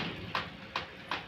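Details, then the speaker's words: Brother printer at power-on: sharp "cut cut" clicks about every 0.4 s over a faint hum; the fix involves removing the drum unit. "नमस्कार दोस्तों, अगर आप अपने brother printer को on करते हैं या उससे फोटो कॉपी करते हैं या प्रिंट निकालते हैं तो दोस्तों कुछ इस तरह की आवाज आ रही है कट कट।"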